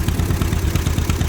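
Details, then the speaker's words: John Deere M two-cylinder tractor, year unknown, also with a clutch issue: lumpy low idle with uneven beats; cylinder number two misfiring about 90% of the time with an occasional pop, spark present and plug swap changing nothing. "we got one cylinder number two is misfiring 90% of the time every now and then you get a pop out of it"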